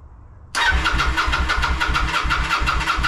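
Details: Kawasaki VN900 bobber restoration, non-runner with no spark and no fuel, ECU checked and returned with zero codes, FI light flashing: starter spins the twin with an even chugging beat, about four pulses a second, but it never fires.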